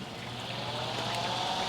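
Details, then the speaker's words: Welder rated 460 V single phase first powered on 220 V: no smoke, steady airy whoosh with faint even hum; cooling fan running normally, blowing hot air. "no smoke how good is that and the Fan's running just just fine like it's supposed to it's blowing hot air just like me"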